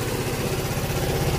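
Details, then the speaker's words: Yamaha Mio M3 scooter, dead for one year, just restarted after injector and fuel filter replacement: even, steady single-cylinder putter with regular low pulses and no misses. Normal idle. "Ayan na siya mga idol. Naandar na siya."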